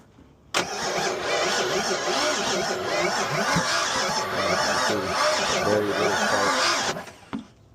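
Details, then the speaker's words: Owner-built Fox-body Mustang that never started after a heads, cam and intake job, key on, weak spark: steady starter cranking for about six seconds with even compression beats but no firing; crank no start, distributor timing found 180 degrees out. "Very little spark. Okay. [snorts] All right. So, I just restabbed the timing. The timing was super off. So, timing is good now. Um, actually, the [snorts] second time I did it the first time, I was 180ed out."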